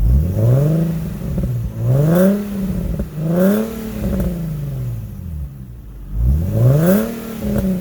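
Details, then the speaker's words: Infiniti G37S coupe on its first start after installing a Top Speed Pro-1 dual exhaust: five quick throttle blips with a smooth, deep, even exhaust note and no knocks or rattles. Barely audible from inside the cabin; engine sounds healthy. "Alright, so my first starts are, you can barely hear it a little bit on the inside. It's not too loud."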